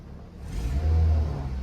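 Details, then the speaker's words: Car with 236,000 miles, getting 34 mpg, revved to about quarter throttle; deep smooth rumble swells and eases back evenly with no knocks or misses; healthy engine. "You want to hear that again? Hold on. Oh yeah. That's about quarter throttle. She purr, baby."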